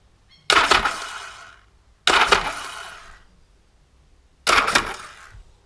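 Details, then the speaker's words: Yamaha XS1100 cafe racer after rewiring, starter motor lead reconnected for bump test; three short bursts, each engaging sharply then spinning down in about a second, starter engaging and turning freely, normal. "We have contact. Awesome. Okay. So, now we know that works."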